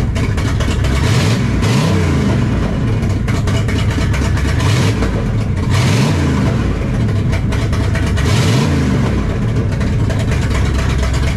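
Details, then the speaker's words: 1968 Dodge Charger R/T V8 right after installing a Barry Grant Demon carburetor (replacing a 600 Edelbrock); the owner may still need to adjust the idle screws. A deep rumble with three clean throttle blips; it runs healthy. "I've already had the charger running a little bit sounds good sounds happy"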